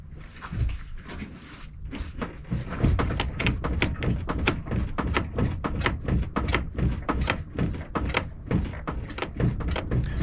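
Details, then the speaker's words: 1999 Toyota minivan, driver's side strut tower viewed from top, wheels on ground, steering turned back and forth: sharp irregular clacking about twice a second from worn strut mount with excessive play; mounts later replaced. "So I'll hit play and you'll see it move when I turn the steering wheel. Wheels of the vehicle are on the ground. It's got to be loaded. Yeah, you can see it. You'll be able to hear it clacking."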